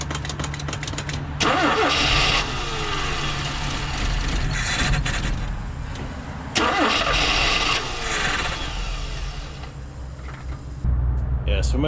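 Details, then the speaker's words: 1987 Mazda B2200 5-speed on a cold start after three pedal pumps to set the choke: three cranking attempts that briefly catch and stumble without settling to idle; owner suspects the choke isn't closing. "maybe we still have a little problem with the cold start kind of did this for me yesterday"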